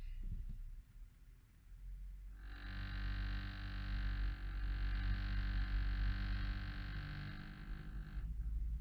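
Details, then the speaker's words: 2017 Chevrolet Traverse 2LT, started at around 12K miles: a steady low buzz with a rattly edge from vibration in the dashboard, heard over the engine. Three dealer repair attempts failed to fix it. "as you can see this noise is still there there is preparation in the dashboard"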